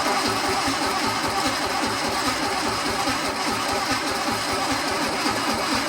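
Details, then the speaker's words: Sunbeam Alpine engine, previously without spark, cranked on starting fluid: steady starter churning with no firing. It cranks but won't start, and long cranking seems to stick a relay open. "So throw this plug back in and we'll try it again on the starting fluid. We'll try not to crank it too long, because that seems to be what sticks that relay open."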